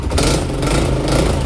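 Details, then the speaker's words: Yamaha Aerox 62mm scooter after lower-end repair with a new crankshaft: sharp raspy puffing over the revving engine from a leaking exhaust header joint. The battery problem makes starting occasionally hard. "คอท่อมันรั่วนะประมาณนี้ครับ"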